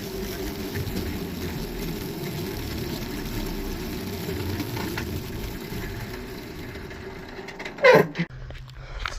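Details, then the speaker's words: Go-kart with an F1 265 E engine, first ride after new parts: steady small-engine drone for about eight seconds, then one sharp clunk and the engine dies; sudden mechanical clunk and shutdown, something failed inside. "I'm not sure what the heck that noise was just now but something just went chunk and it shut down so I think that this old motor is finally given out"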